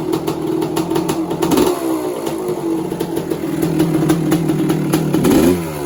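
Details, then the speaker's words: 1986 Kawasaki KX250 two-stroke after a lean-run holed piston, now with rebored cylinder, new piston, top-end gaskets and water pump kit: crisp buzz with two sharp rev blips returning evenly; runs strong and healthy. "Engine sounds sweet as a nut, and yeah, then I'll get some pictures, and she'll be up for sale on eBay tonight."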